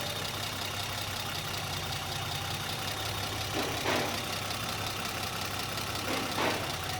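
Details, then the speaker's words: Car after installing a Megasquirt programmable ECU: steady, even, quiet idle with a low hum and no knocks or misses, apart from two brief swells from handling. This is a normal idle. "is that smooth or what and quiet"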